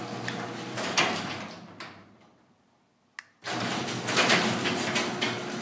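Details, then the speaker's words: Garage door with a weak, shredding, sagging section, after a metal bar and screws were added as a DIY fix: sharp metallic bangs and rattles as the section still drops; the fix failed, so a wood shim was tried next. "sucker that didn't work no attempt number two just put a little piece of wood in there to see if it stays it keeps it from dropping puts enough pressure on it to not drop"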